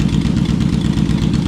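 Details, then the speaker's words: Yamaha Vmax V4 motorcycle at idle running on only three cylinders, uneven lumpy stumbling exhaust beat; fuel delivery problem, dead cylinder's carburettor float bowl found with heavy sludge, blocked jet suspected. "so you can see this is the cylinder that's not firing you can see that's not in the best condition if you look in the bottom of that bowl there's quite a bit of sludge there"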